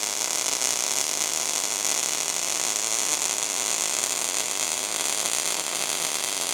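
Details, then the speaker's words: ARCPEX MIG200 welder: even, continuous frying buzz with no popping or stutter. Voltage and wire speed are correctly dialed in, giving a normal MIG arc. "Dial it until you hear the steady bar. That's the zone."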